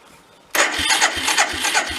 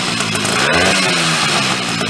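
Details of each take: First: 1979 Chrysler Sno-Runner, sat over 40 years, starting attempt: sluggish cranking at about three labored beats per second with no catch, the starter dragging as the battery runs down. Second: Chrysler Sno-Runner snow cycle (title says 1979, speaker says mid-70s), sat over 40 years, revived; two-stroke started on choke with a shot of old fuel, buzz rising and falling with repeated throttle blips, picking up cleanly; runs fine.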